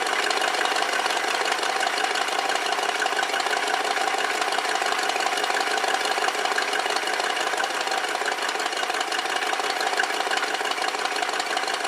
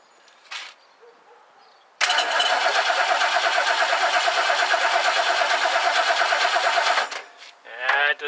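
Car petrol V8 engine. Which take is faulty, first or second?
second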